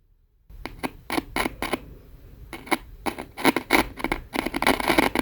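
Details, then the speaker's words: Kia Sportage fourth-generation center dashboard speaker, removed and tested by wiring its terminals to a battery; sharp irregular clicks and pops each time the leads touch, showing the speaker works. "When you make the connection, the speaker will produce a clicking or popping sound."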